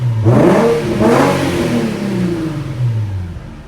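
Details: Nissan 350Z after fuel pump replacement following about two weeks out of service with failed pump; two clean throttle blips, revs rising crisply and falling away smoothly with no stumble; engine runs fine.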